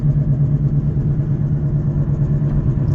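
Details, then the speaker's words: Toyota Avalon driving at speed: steady low droning growl in the cabin that quiets when slowing and returns with speed, from both bad front wheel bearings. "it's a lot of road noise I just slow down it's quiet now once I start picking up speed again both of my bearings is bad in the front"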